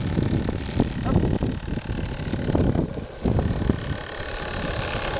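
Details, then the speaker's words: Oscillating steam engine in the RC model steamboat Albatros, burner heating as pressure drops to about 1 kg; quick even chuffing beat without stumbles or knocks; running smoothly and normally. "Et la machine qui tourne admirablement. Et là, je pense que la pression a dû retomber un petit peu parce que j'entends le brûleur chauffer."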